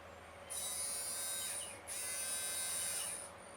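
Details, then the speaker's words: Small DC replacement motor for a Polaroid SX-70, fed about 6 V from a four-AA battery box with leads wired directly to the motor; a thin, even, quiet high whine starts and stops twice, healthy free-spinning motor. "can you guys even hear that it's so quiet now"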